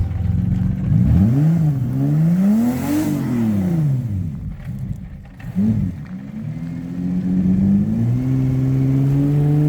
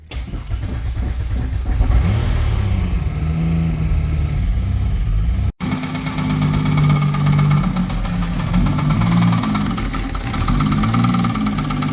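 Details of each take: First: Turbo 3800 V6 Cutlass Cruiser wagon, 5-speed, new build with tune not yet learned, first drive on its own power: revs rise and fall cleanly then settle to a smooth steady pull, no knocks; runs healthy. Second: Turbo 3800 five-speed Cutlass Cruiser wagon: engine runs rough with a recurring knock-like tap under the note, getting quieter. Found the flywheel weight contacting the starter.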